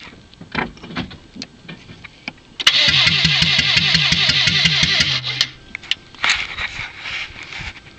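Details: 1997 Saturn that won't start: starter cranks rhythmically about three turns a second for a couple of seconds, retried with gas, engine never catches; cranks but no start.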